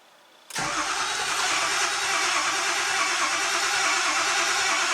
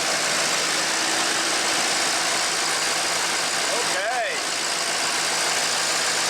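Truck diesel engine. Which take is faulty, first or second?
first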